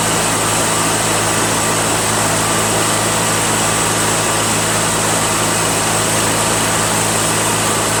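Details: Toro 616Z zero-turn mower twin-cylinder engine, hot, after the left cylinder was suspected dead (intermittently running on one cylinder, possibly a stuck valve now loosened): steady even drone, no misses, constant hiss; both cylinders firing, sounds great.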